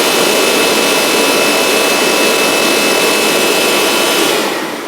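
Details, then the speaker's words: Kirby Avalir in mopper brush-roll mode: loud steady motor roar with a gritty rasp throughout, stopping at shutoff. It grinds regardless of the brush roll redesign because the tray rubs against the brush roll. "It's actually just because of how the tray rubs up against the brush roll here. So that's just how it grinds."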